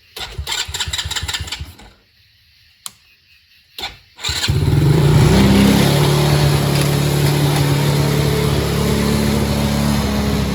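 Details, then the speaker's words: Kid-sized Tao Chinese quad with fresh oil, first start after loose starter-solenoid nuts were found: it catches and settles into a fast, steady idle that sits too high; owner suspects a sticking carburetor needle and seat, not confirmed. "Wow, it runs. So it's idling a little high. So I'll check the carburetor tomorrow because it might be, needle and seat might be sticking."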